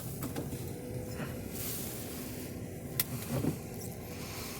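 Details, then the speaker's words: 1987 Mercedes-Benz 560SL, odometer 167,645: quiet smooth power window motor whir running up and down, soft clunk at the stop; windows work normally. "Passenger. Window up and down driver."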